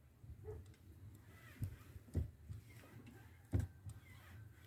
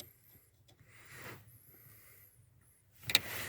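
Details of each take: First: VW Passat B3 (35i) clutch pedal after lubricating its friction points, including the steering column bolt, with penetrating fluid: soft thumps as pedal pressed and released, no crunch or creak; pedal now quiet. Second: 1992 VW Passat B3 clutch pedal crunch returns after the taped coin is removed from the gap between steering column and pedal assembly; dry creaks then a sharp crunch as the pedal bracket shifts toward the steering column.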